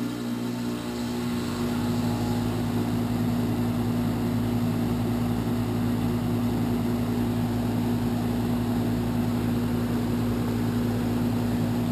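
Compressor kicks on, then a loud, steady droning hum with a low tone over fan whoosh; unit runs noticeably loud, cause unknown.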